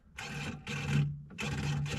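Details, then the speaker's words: 1999 Bobcat 864 skid steer, bucket tilt control after replacing AHC computer, key on: four crisp half-second buzzing bursts over a low hum; tilt actuator now working normally. "you can hear it working great let's put it all back together"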